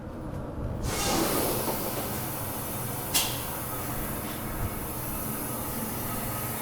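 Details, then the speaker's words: Tractor-trailer air brake chamber during roadside inspection, driver pressing and holding the brake: steady continuous hiss of escaping air under the truck, likely from a busted diaphragm inside the chamber. "right you hear that air leak so this chamber here would have a busted diaphragm on the inside of it"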